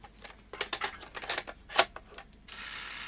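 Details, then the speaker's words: Sony SL-HF600 NTSC SuperBeta VCR: motor spins up, then irregular mechanical clicks and whirs as it laces with no cassette loaded, as if it thinks the cassette is down; syscon fault suspected, IC4 being checked, cause not confirmed. "no it's starting to lace without a tape in there right so lacing without a tape in there means it thinks the cassette down is matte and it isn't"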